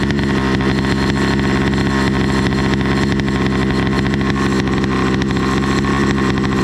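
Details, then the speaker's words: Motorized bicycle with two-stroke engine and NT carburetor after retuning: loud, buzzy running with a blubbery, uneven note and heavy smoke when letting out the clutch. The mixture is far too rich. "i can tell you for sure that is rich as hell the amount of smoke is just dumping out"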